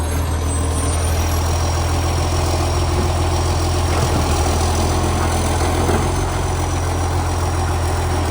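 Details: Canada Bay garbage truck SL780, Euro 3-style Euro 5 facelift diesel: very loud, deep drone, rough and raspy at idle, from an exhaust pipe leak making revs far louder; later fixed.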